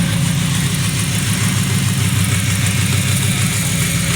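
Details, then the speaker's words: Toyota Vios petrol engine idling roughly with stumbling low chuffing beat and check engine light: misfire from faulty ignition coil number three. "Paandar na natin kas palyado may check engine."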